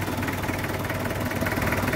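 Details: Car engine started about an hour after crushed Bodrex tablets were added to the weak battery's electrolyte: catches and settles into steady, even idle with smooth low rumble, no misses; normal idle.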